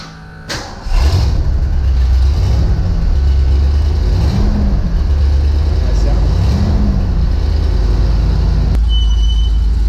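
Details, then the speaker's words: Museum-quality Bricklin with dual exhaust, started: catches quickly, then settles into a deep, even, throaty rumble with a steady beat; healthy idle. "But I'll turn the car on. You can hear how the dual exhaust is, how throaty it is."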